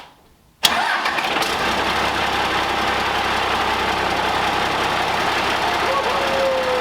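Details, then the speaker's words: 12-valve Cummins diesel swapped into a Ford F600, running on the original ignition key with a battery in the truck: it fires at once and settles into a steady, gruff idle with no knocks or misses, smoking and smelly. Normal diesel start and idle. "all right so got the truck running with the key with a battery in the truck no straps no cables"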